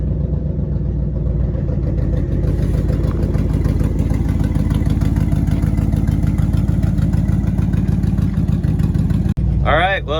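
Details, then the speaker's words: 1967 Ford F100 V8 revived with a junkyard starter, idling at operating temperature (exhaust leak still to fix): steady, even low rumble with no knocks or ticks. Normal warm idle. "came up to operating temp everything is still smooth and sounds good no noises of concern or anything"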